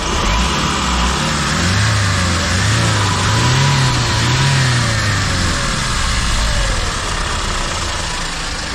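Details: Hyundai H100 CRDi diesel with timing chain, 215,268 km, after chain set replacement for heavy chain slap, cold start: steady, even idle clatter with no chain rattle or slapping; sounds healthy.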